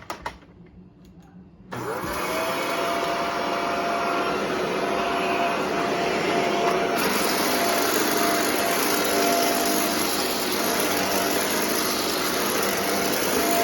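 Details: Shark vacuum cleaner after a sock clog was cleared from the hose and extension wand: quiet start, then the motor spins up to a steady airy roar with a constant mid-pitched whine and no choking or fluttering. Running normally.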